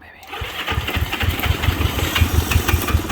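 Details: 1963 Honda CB77 305 Super Hawk twin, being started on choke. Uneven popping firings, a few per second, build and fade without settling into an idle.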